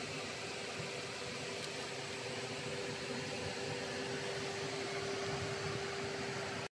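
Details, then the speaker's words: First-generation MG ZS EV with LFP battery, 4 years old, at its 4-year service: cooling fan runs while charging on a warm day, steady airy whoosh with a faint constant hum, no rubbing or rattle; normal. "Donc là, on va tout simplement tirer dessus le ventilo qui tourne, on l'entend bien, et tout le reste a l'air d'être ok."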